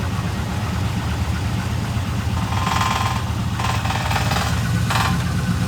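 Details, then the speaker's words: Modified Trans Am WS6 V8 right after a cold start, idling down: steady idle with short metallic chattering bursts; a part was found loose with its screw missing. "Idling down. Man, that sounds good. Check this out. Oh, yeah. What was that noise?"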